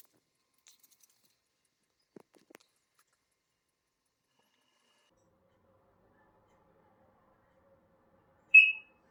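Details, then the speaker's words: Mains-powered heat alarm in a flat's kitchen with a 9-volt backup battery, pressing reset didn't stop it; single short high chirp after quiet. Low battery suspected, not confirmed. "the problem is that in our flat the Heat and smoke law is keep beeping and it's very annoying"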